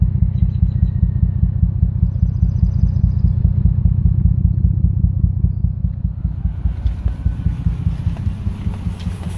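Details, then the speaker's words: IS300 idling after an engine-bay wash, with a deep, pulsing exhaust rumble throbbing two to three times a second; the intake also makes a weird noise; cause unknown. "making a weird noise in the intake. Then my exhaust is making a weird noise too."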